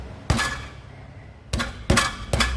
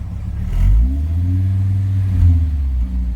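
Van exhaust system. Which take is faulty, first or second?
first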